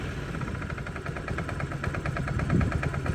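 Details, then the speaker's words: Honda Metropolitan scooter that sat and wouldn't start, idle screw turned all the way up and air partly choked: fast, slightly uneven idle just barely holding instead of dying. "see how it's starting to idle? Like it wasn't doing this at all earlier. So I'm almost to where it needs to be. So I got the idle turned all the way up, and then I'm playing with this, choking the air a little bit."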